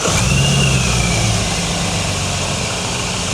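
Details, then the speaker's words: Supercharged BMW that lost power and showed an abnormally lean air-fuel ratio: it starts fine but idles unevenly and lumpily with a regular stumble, struggling to idle, as one cylinder is not firing. "So the it starts okay, but there's definitely a single cylinder misfire there. So one cylinder is definitely not firing."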